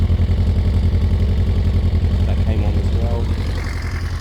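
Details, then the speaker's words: Newly bought cheap motorcycle with 22,000 miles, first start: a steady, even low putter at idle, about four pulses a second, with no knocks or misses, a normal idle. "so guys first test ride the bike works very well no issues at all"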